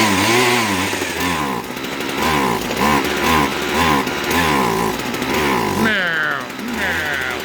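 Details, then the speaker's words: Husqvarna 122HD45 two-stroke hedge trimmer that only ran on choke, idles on its own with choke fully in: surges then sags and stumbles each throttle pull, never reaching full revs; bogging from lean high-speed mixture, carburetor and fuel line faults. "hey it at least idle's on its own when it choke is all the way in he's bogging when i pull her"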